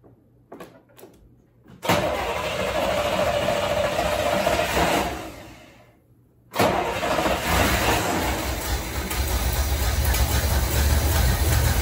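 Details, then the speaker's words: 1973 Corvette V8 unused about 3 to 5 years, float bowls filled by hand: steady starter cranking about three and a half beats a second, a pause, more cranking without catching; owner suspects flooding from too much fuel; cranks but won't start. "all right I thought that would go a lot better I don't know how much yeah probably flooded it there as as Derek from vice grip garage says too much"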